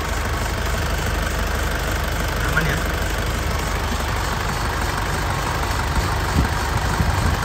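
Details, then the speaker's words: 2004 Isuzu Panther LS Black Panther diesel, first owner, starts on first crank and settles to an even, smooth idle with no knocks or hunting; engine healthy, though a worn fan belt makes a "srek srek" sound. "Sekali starter langsung cegreng ya, artinya mesinnya sehat."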